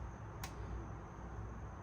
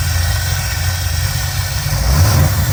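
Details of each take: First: Fuel injector bench-tested with 12 volts from a battery maintainer: one sharp, clean click as it is pulsed, solenoid opening properly; injectors good, so a connection issue is suspected; normal injector click. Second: Lumpy, uneven low idle that smooths slightly when the throttle is blipped; only two injectors fire until the gas is pressed because the progressive linkage setting is not enabled; rough idle on two injectors.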